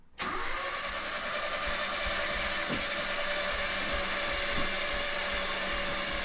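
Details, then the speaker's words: 1976 RA23 Toyota Celica barn find, engine rebuilt about 5-10,000 km before sitting for years, first crank attempt: a steady high starter whirr with irregular heavy clunks; the starter is not engaging fully and the engine does not turn over. "And we're just going to crank this over and see how we go with it. Oop. Okay, so it's not engaging all the way."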